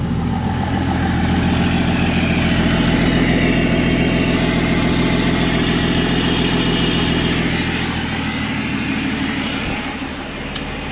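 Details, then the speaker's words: BMW 525d E39 M57 diesel with loss of turbo pressure, after repair of seized turbo geometry lever: strong even idle with steady low beat and faint airy rush; turbo now boosting strongly, intercooler pipes hot and cold as they should be. "Je vais vous laisser devant et écouter. Là ça charge fort, mais vraiment fort."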